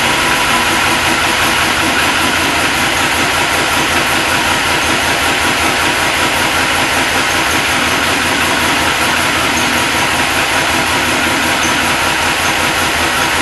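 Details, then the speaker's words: Supercharged LS1 V8 Tonner, stone cold first start after blower install, about 7 °C outside: steady, even idle with faint constant blower whine, no knocks, misses or belt chirps; sounds healthy. "Seems good. Let it run. It seems pretty good."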